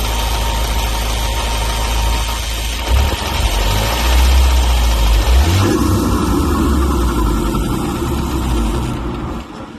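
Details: Ford Focus RS Mk3 idles with light ticking about four per second that keeps time with the engine; the source of the tick is unknown.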